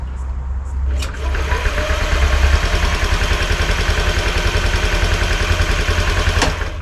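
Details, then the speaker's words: Honda Scoopy (Metropolitan) scooter after replacing the faulty starter relay: a click, then a firm starter whirr, and the engine catches into a steady, even putter. It now starts on the button. "And there you go. We now have a working starter motor."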